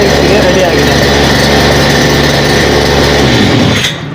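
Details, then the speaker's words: Brush cutter (40/60/80-tooth blade), test run after fitting the teeth blade with both grills seated and the reverse-thread nut tightened. Steady high two-stroke buzz with no wobble or vibration, then smooth wind-down; ready for cutting, normal running. "ನೋಡ್ತಾ ಇರಬಹುದು ಕಟಿಂಗ್ಸ್ಗೆ ready ಆಗಿದೆ use ಮಾಡಬಹುದು"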